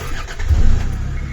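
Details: Normal crank and start after relay test on a 2001 Land Rover Discovery Td5 automatic diesel, 286,000 miles, that only clicked its relay: engine turns briefly, fires and settles to steady low idle; fault traced to a bad earth.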